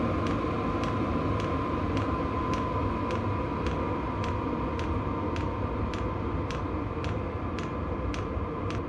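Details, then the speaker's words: VEVOR diesel heater fully warmed up on its lowest setting, drawing 10 watts: light ticking from the clicker-style fuel pump at just under two a second over a soft, slowed blower hum. It is running normally. "so that's that's fully operating clicker pump slowed down fans chilled out we're sitting at 10 watts and that's on the lowest setting"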